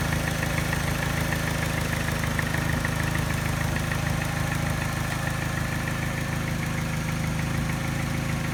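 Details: Mini petrol engine at idle after timing chain, tensioner and piston ring replacement: a slightly uneven idle with a light quick ticking tap that disappears above 1200 rpm and a slight miss the scanner does not pick up; cause unclear.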